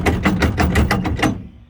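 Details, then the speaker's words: Travel trailer on the road: eight sharp metallic clanks, about six a second, as the loose hitch shank knocks inside the receiver; fixed with an anti-rattle hitch tightener clamp. "When you're driving down the road, is this basically what you hear from your trailer?"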